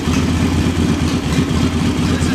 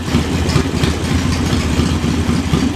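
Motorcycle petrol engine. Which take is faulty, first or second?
second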